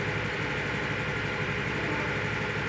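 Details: Honda Beat FI ESP scooter, after repair of a dead starter with no connection when pressing the button: small engine ticking over at a steady, even idle with no misses, knocks or odd noises; runs normally.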